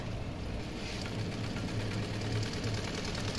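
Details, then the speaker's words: Sewing machine after setting the carrier (dongi) and removing shuttle play that broke needles and threads: an even, quick clatter about three stitches a second with no knock; the noise is gone and it stitches well. "दोस्तों देख सकते हो आप machine की जो आवाज हो रही थी वजह से वह बैंड हो गई और मशीन की सिलाई भी बहुत अच्छी से ए रही है"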